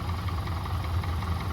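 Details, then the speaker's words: Yamaha 200 hp inline outboard after cylinder head rebuild for leaking intake valves, idling in gear under stationary load with engine cover on: deep, even steady drum, slightly rattly, possibly bucket lifter adjustment; runs fine. "it seems to be running fine."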